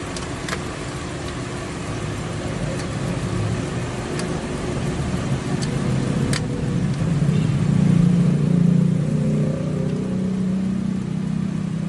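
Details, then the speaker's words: Old carburetted petrol car after carburettor blockage cleared, throttle adjusted and air filter housing resealed: engine runs steadily, then revs up smoothly and holds higher speed without stumbling; acceleration now normal. "The vehicle was now accelerating properly without any issues."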